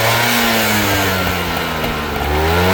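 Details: Vespa SS180: engine pitch swings with the throttle and a dry, hollow rattle rides the revs, which is piston slap.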